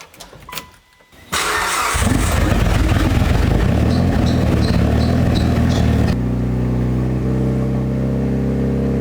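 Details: Fully built Mitsubishi Evo 9 during break-in after its first start and tune edits, held between 2,000 and 3,000 RPM while warming from about 185 to 200 degrees: steady, even drone with some backfiring and a shop fan whirring; healthy running.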